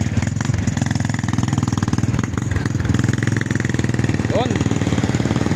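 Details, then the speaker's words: Barako 2 single-cylinder motorcycle after repair, following repeated connecting rod failures and a crankcase replacement: steady even exhaust beat at idle with no knocking or rattling, now running well. "right Ang ganda ng andar"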